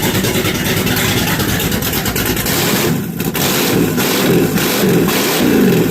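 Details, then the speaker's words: Charger with Dakota Digital dash and recently installed new A&A valve body, started after sitting a while: catches and revs cleanly through several blips with no knocks or misses; normal running engine. "So, the Charger, as you can hear, is still running fan-frickin'-tastic."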